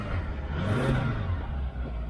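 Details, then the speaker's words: 1995 Subaru after replacing burned fusible link (battery cables had been installed backwards), started by starter button after sitting a few days; runs up briefly then settles to even low rumble, no knocks or misses; normal. "so uh on this car i've got a starter button down here because it hasn't been started for a few days there it goes"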